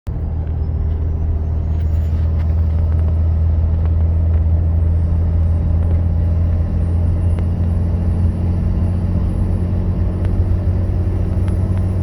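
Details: Engine at low rpm and light throttle: loud steady low moan from the front of the engine compartment with a faint rising high tone; idler pulley, tensioner and belt already replaced, owner suspects fan clutch.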